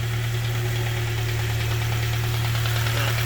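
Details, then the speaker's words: K-swapped Honda Civic EP21 after IACV delete, idling on its own but hunting a little: light tick about three a second over a low hum; owner unsure whether it is injectors, later says it differs from the injector sound; cause unclear. "well it's sort of idling by itself it's hunting a little bit but it's a knocking noise from somewhere i'm not sure if it's just injected"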